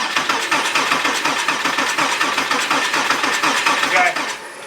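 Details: Porsche 987 Cayman S with a suspected spun rod bearing (metal shavings in the oil filter), cranking on the cylinder four compression test. Steady, even cranking. Readings were 210/205/210 psi; the fuel-wet cylinder five was only 5 psi down, so it is negligible.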